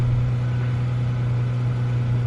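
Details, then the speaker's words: Toyota Camry that idled rough and stalled on cold morning starts, just after throttle body cleaning for carbon buildup, white smoke from the cleaner burning off; petrol engine idles with steady, even low hum, no stumbling: normal idle. "Alright, so as you saw, everything started pretty seamlessly."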